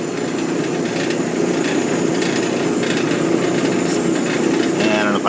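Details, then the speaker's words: Old Maytag natural-gas dryer (model CDG46, 18,000 BTU), after replacing the high-limit switch (210°F to 250°F), dryer switched on and burner fired: steady soft roar with drum rumble underneath, no flutter or popping; nice flame, burner normal. "I'm going to kick the dryer on and and uh make sure it fires shut the door I think it's got a safety turn it on oh yeah so nice flame"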